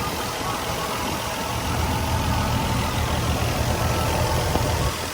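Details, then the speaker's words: 2000 Nissan Skyline R34 GT non-turbo manual, low kilometres, already running on a very hot day: low, even idle hum with a steady pulse and no weird sounds; engine starts and runs fine. "Engine runs fine, it started up fine. There's no weird sounds or anything."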